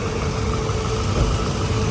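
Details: Toyota Wish with weak A/C and a cooling fan that had not run properly, now working again: steady even idle with smooth low hum and constant fan whoosh, no knocks or surges, engine and cooling fan sounding healthy.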